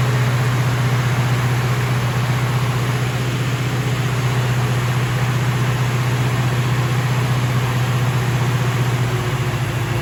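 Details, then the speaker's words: Freshly rebuilt 454 V8 in a 1970 Chevelle at its first start-up: deep, fast, even drone with no dip; engine runs on because the idle is set too high. "okay okay it's running on a little bit um that's because the idle's so high"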